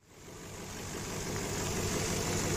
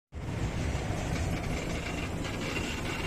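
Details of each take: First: Warm Infiniti QX56 idling after its belt tensioner was replaced to cure a scary metallic knock. Even, smooth idle with a soft steady hiss from the gas injectors, no knocking or ticking. The knock is gone. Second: Infiniti QX56 idling with frightening knock under the hood, power steering pump replaced with a used unit but noise remained: fast metallic tapping near three per second at the front of the engine; worn belt tensioner.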